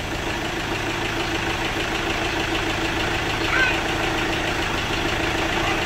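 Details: Chevrolet Captiva diesel after replacing stuck water pump, broken timing belt, timing roller and tensioner: engine restarted and holds a steady, even idle with light clatter, no knocks, misses or hunting; sounds healthy.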